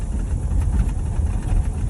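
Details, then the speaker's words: 1985 Chevrolet K20 4x4, 3-speed, revived after sitting 10+ years: deep, steady low rumble with even pulses, no misses or pinging; timing sounds spot on, distributor likely needs no adjustment; normal idle. "timing sounds like it's spot on. I might not even have to mess with that distributor."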